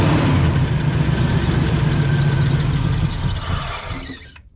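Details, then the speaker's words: 1989 Ford Mustang GT 5.0 Fox body running only on sprayed starting fluid: rough, lumpy running that sags and dies within about four seconds once the spray runs out. Fuel starvation suspected; the tank gas smells terrible, gauge at 3/4. "As long as you keep spraying, it keeps running. And you know, it runs a couple seconds and then starts to sound better."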